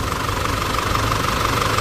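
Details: Isuzu D-Max 4JK1/4JJ1 diesel with new injector nozzles, bonnet open after road test: steady idle clatter, even rhythm, no stray knocks; healthy.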